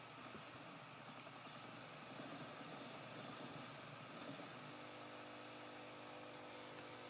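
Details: Dell L502x laptop freezing during 3D gaming: steady hiss, then a harsh fixed-pitch buzz cuts in and holds while the system is locked up; cause unconfirmed.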